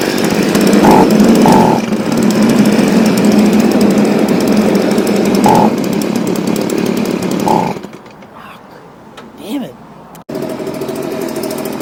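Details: Stihl BG55 two-stroke leaf blower, formerly no-start, on new C1Q-S68G carburetor replacing a torn-diaphragm carb, during carb adjustment: crisp steady buzz holding revs without stumbling, then easing to a low idle; running cleanly.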